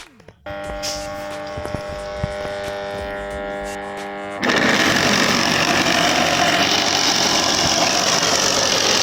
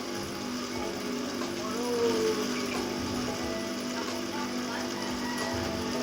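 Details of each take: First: Household water pump motor: hums steadily without turning at startup until the fan is turned by hand, then runs very loud and rough from worn bearings needing replacement. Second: Electric water pump test-run dry (no water yet) after bearing replacement, before reinstalling at the well: steady low hum with a faint whirr, no grinding or rumble; runs smoothly, normal running.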